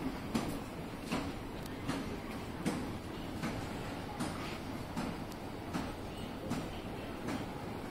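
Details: Hitachi escalator running downward, noise worst from the first-floor top panel: heavy clunks about once a second over a steady running hum; cause not yet known.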